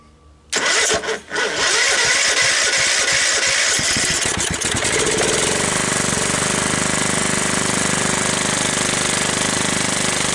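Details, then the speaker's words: 17.5 hp Kohler riding mower engine, long stored outdoors and mouse-nested. After clean-up, blade clutch and belt removal and a carburetor cleaning, the starter grinds a few seconds, then the engine catches and settles into a steady, even run without misfires. "there we go it starts and it runs well"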